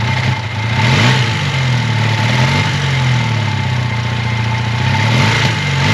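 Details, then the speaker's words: 1980 Honda CB400 T Hawk twin after restoration (carbs rebuilt, oil changed), first run on choke with fuel bottle; steady even idle with smooth throttle blips, no knocks or rattles, running nicely and healthy. "it's so awesome to hear this bike run I don't hear any bad noises with it it sounds like it's running nicely"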